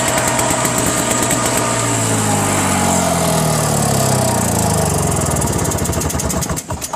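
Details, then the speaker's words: Single-stage snowblower: a buzzy two-stroke that runs steadily, pitch dropping and wandering slightly before fading; it runs fine, and the owner just wasn't using the choke for cold starts. "Well, I don't know what he was talking about, but runs just fine. I don't think he knows about the choke."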